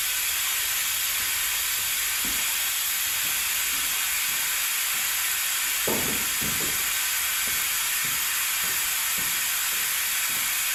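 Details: Air-driven vacuum extractor pulling hydraulic fluid from a John Deere 110TLB at 4100 hours during a hydraulic oil change: continuous airy hiss with short gurgles as fluid is drawn up the tube; pulling vacuum properly.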